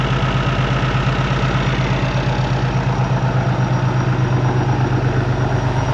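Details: Peterbilt ISX Cummins CM2250 idling after a front structure leak repair, no longer leaking, warming up before an oil and filter change: a steady, even low diesel rumble with a smooth regular beat and no knocks or misses; healthy.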